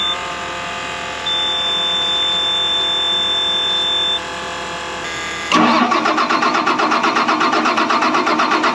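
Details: Max 270 tractor after refuelling, primer pump humming steadily with the key on, then rhythmic cranking about four beats a second without catching; hard starting, owner fears a failed CAPS fuel pump.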